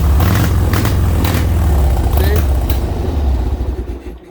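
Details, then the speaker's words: Harley Sportster: a deep, loping V-twin beat with uneven, stumbling pulses about four a second that never settle before it dies; owner suspects the air-fuel ratio, maybe plug wires swapped. "in here the air fuel mixture on this thing like the air fuel ratio is completely out of balls it's that that is the issue I am like 100 certain"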